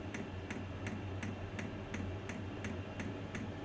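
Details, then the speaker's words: Vevor 2 kW diesel heater on bench power supply during startup, drawing just over 6 amps: crisp regular dosing pump ticks two to three per second over soft fan hum, amperage jumps as pump frequency increases. Normal fuel pump ticking. "now you see the amperage jumping there as the fuel pump kicked in with the increase of the pump frequency"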